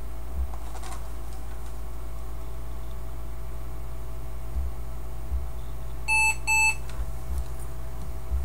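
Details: Gateway M-2626u laptop switched on after fan cleaning: two short, high electronic beeps over a low hum, an error signal with no normal startup.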